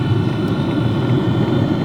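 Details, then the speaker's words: Two Track Nation Hot Box diesel camper heater after startup, cabin already warming: steady even low whoosh of air with no knocks, rattles or surging; fan running normally pumping heat in. "now you guys can really start to hear that fan pumping the heat into the cabin"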